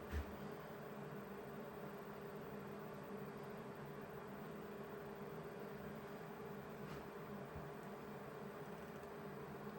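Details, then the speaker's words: Vevor 8 kW Chinese diesel heater in its initial startup purge, before the fuel pump starts clicking. Quiet, steady fan hum with an even low drone; normal purge. "So right now I'm imagining it's running the fan, making sure that the combustion chamber doesn't have any fumes in it before it goes and lights her up."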